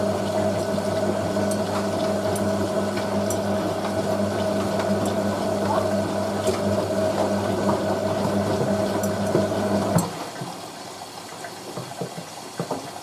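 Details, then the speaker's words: Hotpoint 9530 Electronic 1000 Plus washer, Programme 4 50°C coloured synthetics, polyester/cotton load with Persil: the final rinse fill and pump give an even mid-pitched hum with rushing water, then cut off cleanly. Rinse water not salty; normal, before rinse hold. "So, not really salty at all for that final rinse."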